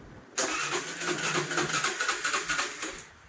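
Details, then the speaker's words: Suzuki Access BS6 scooter after a new battery replaced a dead one: starter churns for about three seconds but the engine does not start. Mechanic suspects a blocked valve in the stepper motor. "కొత్త battery వేసిన తర్వాత చూడండి, సరే okay start కావట్లేదు, stepping motor complaint అనుకుంటాం."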